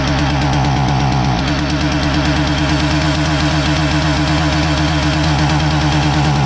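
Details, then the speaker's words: Husqvarna 450 chainsaw that starts fine but won't rev up (customer reported no compression): a loud buzzing two-stroke with an uneven, stumbling beat that won't clean up, even when choked richer. Ignition module misfire, not a carburetor problem; suspected module timing circuit. "so if you thought that this was a carburetor problem you wrong this is an ignition problem it's not an uncommon one"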